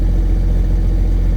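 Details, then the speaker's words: Case STX375 articulated tractor diesel idling smoothly with a deep, even rumble and no knocks, misses or hunting. Actual fuel pressure is now restored after a no-fuel fault with a broken-tab fuel actuator; the lift pump is still miswired. "so now we have actual pressure so now I can actually get back on the original job that I was supposed to do um it's running"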